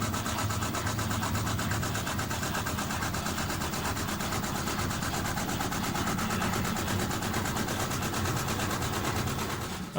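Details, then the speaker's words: Panasonic NA-FS14G3 EcoNavi top-loader after drain valve replacement for knocking, wobbling and restarting cycles: a steady, even spin with a soft whoosh about three times a second as the clutch engages to limit wobble, no knocking, normal. "understanding how this works it speeds up to a certain point and if it feels that the motions to too much it actually engages the clutch so that it actually releases a bit of the pressure or the the spinning pressure you can even hear it sometimes it speeds up"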